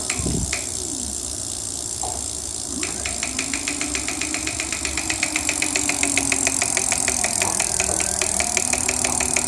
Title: clicking sound from motor